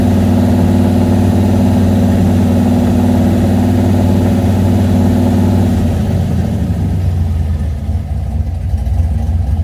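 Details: Engine fitted with Holley Sniper fuel injection at idle: a deep, lumpy idle with an uneven, stumbling beat about three times a second, then the speed sags and roughens; an idle misfire.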